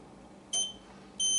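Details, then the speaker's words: National Time & Signal 902 fire alarm control panel, battery lead pulled off: two sharp high-pitched beeps, the second held, repeating; panel indicating a low-battery trouble until tone silence is pressed. "okay we've got a trouble indicated here panel saying low battery and I'm going to hit the panel tone silence to stop the beeping"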